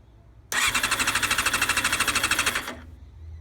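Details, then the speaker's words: 1990 Honda CBR600F with carbs, started without starter fluid, choke on, throttle cable not connected: it fires and runs with quick even pulsing for about two seconds, then stalls. Owner suspects it is out of gas. "Oh, she might be dry. She's probably out of gas. Let me get some more gas."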